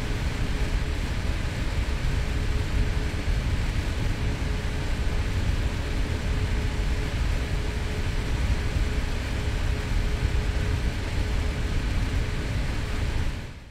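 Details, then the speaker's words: Zotac GTX 980 Ti AMP! Extreme graphics card with fans at 100%: a loud, even rush of air with a faint steady hum and no rattle, grinding or audible coil whine; normal fan noise. "I can say that at 100% though these fans can get pretty loud to test out and demonstrate this I have recorded the audio of the card without the fan spinning then increase them by 25% until at full RPM"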